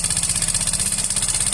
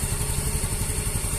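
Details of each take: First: Yamaha Fino 125 scooter, no history of low or late-changed oil, CVT ruled out: rapid, even clatter at about twelve per second over the idle from the engine top end; cause is a faulty decompressor. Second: Yamaha Fino 125 after a new rocker arm and removal of the exhaust-valve decompressor that caused the noise, engine refitted to the chassis. Steady, smooth single-cylinder idle with no tapping; normal.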